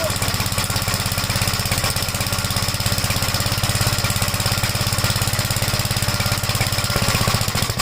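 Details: 1956 Gravely Model L single-cylinder, after choke start with throttle lowered: uneven chugging at about 200 beats a minute with pops. Plug oil-fouled and it smoked at start; top-end/valve trouble suspected; rough running with smoke.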